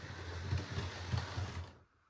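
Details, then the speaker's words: Model railway locomotive stays still while its motor tries to move, making soft irregular ticking about three a second; a loose wire is fouling the pickup. "and see he that ticking noise the mo that motor is trying to move it's rather that pickup being there"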